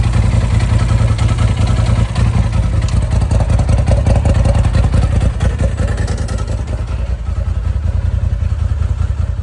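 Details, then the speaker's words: Polaris RZR XP Turbo S after replacing a stuck-open fuel injector and changing fuel-diluted oil: strong, even thrum with quick firing and no popping or misses through revs, where it popped badly before; runs clean. "All right, I think we got problem solved. It's running great. I haven't driven it, but I kind of revved it up, and before, if I'd rev it, it was just popping really bad. It's running nice and clean now."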